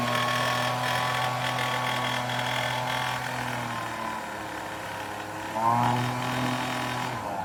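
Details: Homelite UT08572 30cc backpack leaf blower marked "fix me", after fuel work: steady two-stroke buzz that sags briefly then picks back up, running evenly with no misfire. Normal running.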